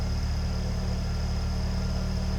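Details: 1993 Ford Mustang LX convertible, 2.3-liter four-cylinder, heard from the back; low steady idle with even pulses, no misses, knocks or ticks; normal.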